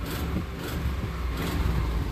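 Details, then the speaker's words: 2005 Dodge Ram, revving: deep engine rumble with raspy puffing chuff from the rear of the exhaust manifold, where the studs are snapped off, other side likely broken too; exhaust manifold leak, fix is extracting studs and replacing the gasket. "way up in there the back of the manifold is where the bolts snap off pretty sure the other side's broken too and you can hear this a little bit of puffiness"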